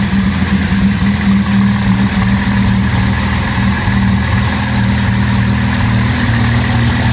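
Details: 2010 Camaro SS with turbo Vortec 4200 inline-six swap, just after its very first start, run briefly without coolant: smooth steady low idle, even firing, no knocks or ticks; healthy idle.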